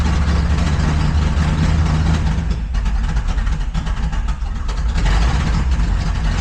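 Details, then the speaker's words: Truck with a brand-new ignition coil refitted during a misfire repair, idling off throttle: deep, uneven idle that stumbles and lopes, smoothing slightly but still rough; suspected misfire or timing fault, cause not confirmed. "She gets lumping. She's lumping. She's pumping, but she's smoothing out a little bit. She's running rough. Going real rough."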